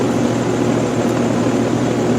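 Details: Pool pump restarted on recirculate after the solar valve was closed, during preparation for pool closing: steady, even motor hum with a low drone, no knocking or rattling; pump running normally.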